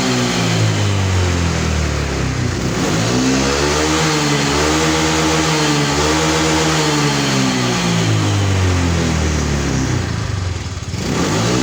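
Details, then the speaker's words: Honda Vario 150 scooter, serviced for low power with throttle body cleaned and reset, weak battery at 11.6 V so kick-started: pitch climbs cleanly and drops back twice with no bogging; revs healthily. "Setelah itu kita akan bler gasnya Apakah ngisi atau ngempos"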